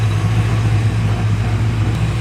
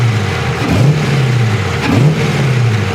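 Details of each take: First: Freshly cam-swapped LS1 V8, first start before cooling system finished: steady smooth idle sitting a bit high, owner plans to adjust it down; oil pressure about 60 psi, fuel pressure 63–64 psi; high idle. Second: LS1 V8 after a Brian Tooley camshaft swap, first start-up idle: deep and clean with a slight choppy cam lope and a couple of quick blips, no leaks underneath. The Holley Terminator X Max still has to relearn the engine.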